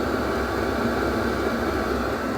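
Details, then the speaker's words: Diesel heater running after the fuel pump was wrapped: a steady, even hum with soft fan rush and low pump ticking underneath, much quieter than before the wrap; normal running. "that's a lot quieter. I just wanted to add that as a bonus."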